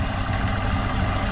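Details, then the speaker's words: Chevrolet Aveo T250 on petrol with a lumpy idle as one cylinder isn't firing. A test lamp shows injector pulses arrive and the coil has continuity, but the injector doesn't open: clogged or faulty injector causing the misfire. "тобто імпульси на форсунку приходять на цьому етапі можу зробить висновок не робить сама форсунка Або вона забита ну якись з нею не гаразд"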